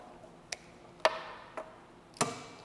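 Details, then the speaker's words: Mower electric PTO clutch, in a quiet room: four crisp single clicks about half a second apart as the clutch engages and releases cleanly; normal clutch operation. "it's actually common on EFI engine to put a diode here because what happens is when you send power to something like the clutch"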